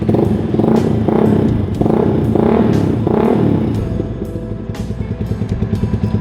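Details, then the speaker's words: Yamaha R15 V2 with SC Project silencer, after replacing the modded air filter cover with the stock one: sharp throttle blips rise and fall cleanly, then an even, steady idle pulse; crisp and healthy. "it sounds good it's absolutely and by the way for those interested my silencer with us i don't want this to be obnoxiously loud as i mentioned to you"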